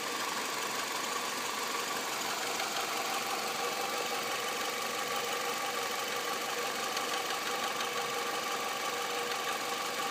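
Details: 2006 Nissan Altima 2.5S, 117,000 miles, idling: light uneven knock about two raps per second over mechanical clatter, from the rear top of the engine near the timing chain side; cause unknown.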